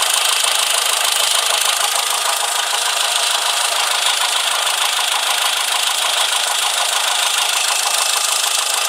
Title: Engine Knock